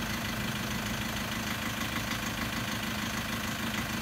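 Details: Toyota Prado 2013 (MY14), Denso 1KD-FTV diesel, 130,000 km, idling: sharp rapid ticking knock at steady beat over the idle, harsher than normal diesel clatter, somewhat rough; premature diesel injector failure, needs new injectors.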